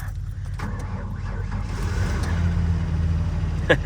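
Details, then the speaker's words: 2000 Mazda Ranger work truck, 244,673 miles, fully loaded, cold start just above freezing, AC off: sluggish uneven slow cranking for a couple of seconds before firing and settling; slow crank, but starts fine. "Very slow, but it did start with no problem. Fired right up."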